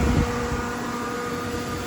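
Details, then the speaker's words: 2000 Jeep Grand Cherokee V8 4x4 with a new belt and new fan fitted: the electric cooling fan switches on and a steady whirring hum holds an even pitch over the engine. Normal fan operation. "So there you hear it. The E-fan is on."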